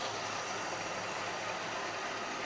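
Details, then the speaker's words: 1956 Chevy V8 with a freshly rebuilt Rochester carburetor, still cold, idling in drive with the idle raised slightly: slightly uneven, loping beat, a mild rough idle while still warming up. "It gets good. Still seems a little rough, but it's still cold, right?"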